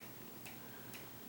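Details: Wobbling bedroom ceiling fan running: light ticks roughly every half second over quiet room hum, then a sharper click; cause unconfirmed.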